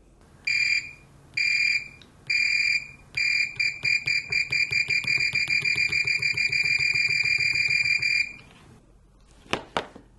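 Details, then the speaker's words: Fluke 189 multimeter, discontinued model bought as new old stock, tested with gold-plated silicone probe leads: continuity beeper gives shrill warbling "tweedle" chirps in short bursts then a fast run of beeps; owner dislikes the sound but it works normally. "it just has this weird Tweedle to it I don't like that"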